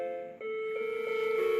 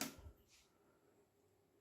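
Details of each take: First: Macintosh Colour Classic after repair of severe battery-leak damage, analog board not yet recapped, first power-on: eerie sequence of chime notes instead of the startup tone; chime of death. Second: Macintosh Colour Classic after repair of severe battery-leak damage, analog board not yet recapped, second power-on after a failed first boot: a few clicks, then one clean chord for about a second; normal startup chime.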